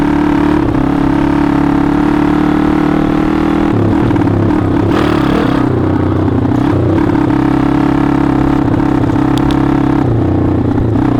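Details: TaoTao 140cc pit bike on its first ride after clutch replacement, cold day, started first kick: small single revs up and down cleanly under riding load, pitch tracking throttle smoothly, no sucking noise or rattle; normal running.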